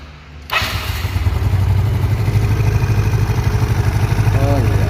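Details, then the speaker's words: Automatic scooter after a valve clearance adjustment, idling steadily and evenly with no valve ticking. The earlier klitik noise came only from excessive valve clearance. "ini sudah tidak ada suara klub-klepek lagi sudah sangat enak [Musik] dan tidak ada suara berisik lagi ya"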